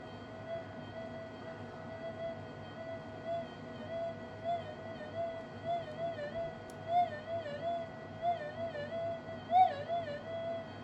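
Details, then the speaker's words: Minelab SD2000 metal detector on channel 1, screw position, untuned, magnet wiggled side-on near the coil: a wavering, warbling tone swoops up and down with the magnet's movement, the earth-field signal from an untuned channel. "So imagine swinging your detector and you hear this. All right, that's the earth field."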